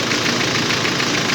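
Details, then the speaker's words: 2.5 4x4 turbodiesel, turbo rebuilt about six months earlier with wrong shaft and blades, now corrected: warming-up idle before road test, steady even idle with smooth turbo hiss, no knocks or surging; normal idle. "neyse makine biraz çalışsın ısınsın arkadaşlar sonun yolda testini gerçekleştirelim"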